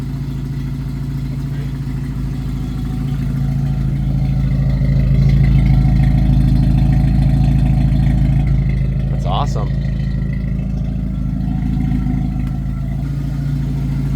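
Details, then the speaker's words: 1991 Jeep Wrangler YJ 2.5L four-cylinder with new Flowmaster Super 44 exhaust run all the way back and leak sealed with exhaust sealant: even deep idle, smooth revs, no puffing or ticking, much quieter than before. "dude that's so much quieter with it going out the back than when we started it with it just like kind of hanging on there it was pretty loud this is so much quieter with it going all the way back"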